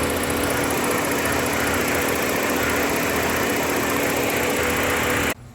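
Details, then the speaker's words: 2011-2019 Ford Explorer idling after serpentine belt replacement, with a rubbing line zip-tied away from the belt: steady, even hum with no squeal, chirp or slap; normal idle. "we got it cranked up everything running here and looks like everything is working smoothly"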